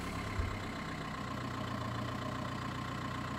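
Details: 2005 VW Golf Mk5 after recoding cleared flashing TPMS/ABS lights and beeping: smooth, even idle with a steady hum and no warning beeps; engine sounds healthy.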